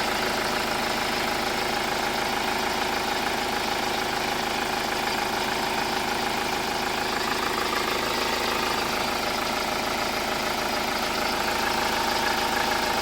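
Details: Hyundai Starex diesel idling after DTC P0253 was erased; history of a burnt alternator wire. Steady, even idle with no shudder, misfire or knock; engine shake gone, quiet and normal again.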